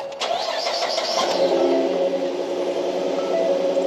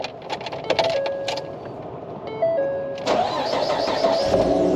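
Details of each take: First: 2013 Ford F150 after water pump replacement; it previously had a squeal first blamed on an idler pulley. The engine cranks, catches quickly and settles to a smooth idle with no belt squeal or pump whine. Normal start and idle, repair successful. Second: 2013 Ford F150 before water pump replacement: after the door chimes the engine cranks and catches, then a steady thin squeal rides over the idle and is getting worse. First thought to be an idler pulley, but owner thinks the water pump bearing is going bad.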